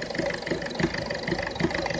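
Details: Ford Fiesta 1.4 diesel running rough at idle, uneven tick-over with a lumpy thump about every third of a second; owner suspected a failing injector and, after checking with an infrared temperature gun, concluded injector number one is at fault.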